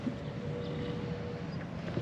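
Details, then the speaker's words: 1999 Jeep Wrangler TJ after DIY fuel pump replacement: at key-on a faint, steady mid-pitched hum lasts about a second and a half then cuts off cleanly, a normal fuel pump prime. "you want to key on and I'll see if I can hear yeah yeah I heard it"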